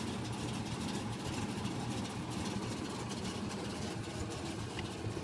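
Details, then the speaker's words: 1968 SS V8 just after start-up: steady, even idle with a low rumble and no knocks or misses, holding good oil pressure; normal idle. "Let's go ahead and give her a kick. Just idles the life, no problem."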